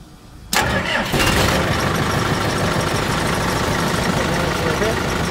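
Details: CAT/Perkins 3054C diesel on a wood chipper, unrun for three years, after new filters, fluids and repaired battery cables: brief crank, catches within half a second, steady even clatter; normal cold start and idle.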